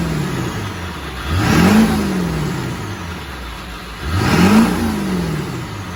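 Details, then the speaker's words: Diesel van just after exhaust build: deep even diesel note, two clean revs rising and settling smoothly, no knocks or misses; healthy. "The video of the startup was a couple of months ago. It was right after I finished building the exhaust system, which I think sounds pretty decent."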